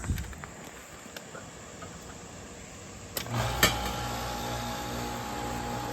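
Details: 2007 5-ton R22 ICP/Tempstar unit with TXV, new capacitor fitted, windings megged in caution range: a sharp clunk, then a steady low hum that never spins up as the compressor stalls in locked rotor (141 A rated LRA).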